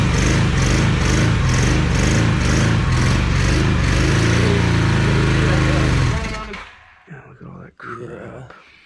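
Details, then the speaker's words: 1982 Honda CM450 motorcycle, sitting about seven years, first start attempt with fuel in the carbs: starter cranks steadily about four beats a second for six seconds but never fires; carb jets found super clogged, gunk in each float bowl. "all right guys so the jets were super clogged in the carbs and there was like gunk built up in each of the bowls"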